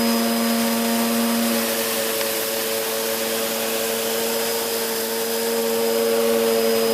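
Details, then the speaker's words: Hoover Whirlwind Pet WHS2102 001, a 2100W bagless upright purchased in 2013 with a refitted belt, on carpet: a steady motor whine and constant hum with the aggressive brush roll churning evenly; normal running. "That was a very aggressive brush roll, and we can see there that that really has done a fairly good job."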